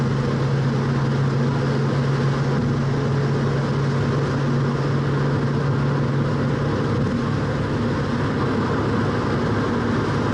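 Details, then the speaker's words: 1966 Mustang cruising: a steady low hum under road noise, differential getting louder as it warms up; differential whine. "okay just be a nice casual driver as I go by you can really hear the differential getting louder and louder as warmer it"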